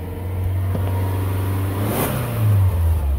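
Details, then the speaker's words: 2010 Subaru Outback AWD, rev test from idle to about 4,000 rpm and back: smooth climb and return with no knocks, ticks or rattles; engine sounds healthy. "that was right at 4 000 engine sounds good"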